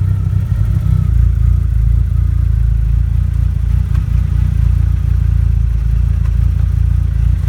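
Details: First-generation Mitsubishi DSM (Eclipse/Talon/Laser): a loud, deep, steady rumble with a coarse flutter from the rear, suspected transmission or rear driveline; cause not confirmed.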